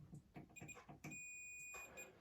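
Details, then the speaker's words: Multimeter continuity test on the large violet and yellow coil wire of a Terminator 2 pinball cannon that stopped firing: clicks, then clear steady beep for about a second; wire run intact. "So I'll grab the wire, stick it in the, so we're going to go with the large violet and yellow."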